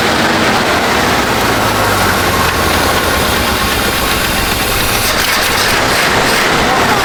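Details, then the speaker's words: 1970 Chevy C-40 mechanics truck V8, sat 15+ years, first start after hooking up ignition wiring: steady, even idle with full unbroken rumble, no knocks or misses; sounds healthy. "All right. You be starting or you want to try it? Oh, okay. That thing sounds good. >> It does."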